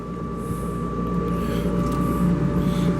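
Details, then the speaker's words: Shop-built cyclone dust collector with two dust ports open at once (band saw and second port): a steady low roar of air, fixed fan hum and a thin whistle near 1 kHz. It pulls strongly and smoothly; running normally. "this thing really really really pulls good I mean I cannot complain and that's with two dust ports open at the same time"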